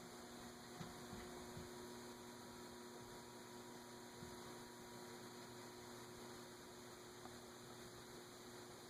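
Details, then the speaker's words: Antique Emerson 6-blade 30" Fernleaf/Longnose ceiling fan, stiff to start, on a solid-state variable speed control with amps climbing: steady low buzzing hum with no spin-up even at high; motor fails to start, possibly still too tight. "I don't know if you can see the amps are gradually climbing as I increase the control. I can hear it buzzing."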